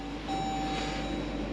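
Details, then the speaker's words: 2021 Dodge Durango R/T 5.7 HEMI V8, parked in quiet cabin: steady electronic beeping chime continues because the driver's door is open; door ajar warning chime. "Oh, the beeping. What? I know my door is open. Please leave me alone."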